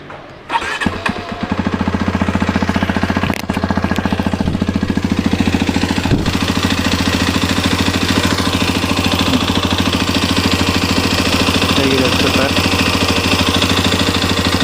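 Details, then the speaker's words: Hero Xpulse 210 at 2926 km, just after warranty engine head replacement for tractor-like tappet noise that began near 2800 km: starts and settles into a steady, slightly rough idle with faint mechanical clatter, milder than before but still present. "Engine drive ಮಾಡಿ ನೋಡೋಣ ಸಮವಾಟ್ ನನಗೆ ಇನ್ನು mild ಆಗಿ ಇದೆ ಅಂತ feel ಆಗುತ್ತೆ but ಮುಂಚಿನಷ್ಟು ಇಲ್ಲ ಅದಂತೂ ಗ್ಯಾರಂಟಿ ಮುಂಚಿನ ತರ ಸೌಂಡ್ ಇಲ್ಲ"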